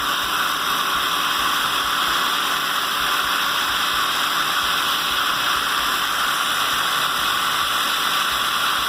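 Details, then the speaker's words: Homemade centrifugal water pump (impeller on motor shaft, glued), primed to remove air, returning water via elbow to pond after finding ideal configuration; steady rushing water over faint motor hum, constant and even; normal running. "Pessoal, acho que agora a gente achou a configuração ideal da nossa bomba. Olha só que top, galera. É muita água."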